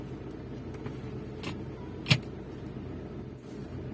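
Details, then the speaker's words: Maruti Suzuki Swift Dzire after replacing the engine mounting (foundation), old one loaded fully to one side, now centred: low steady idle hum, no shudder or knock, single click; vibration and odd sound inside cabin gone, engine smooth. "Problem solve झालेला आहे. आतमध्ये कोणत्या प्रकारचा vibration feel होत नाहीये. आणि engine सुद्धा एकदम स्मूथ वाटतोय."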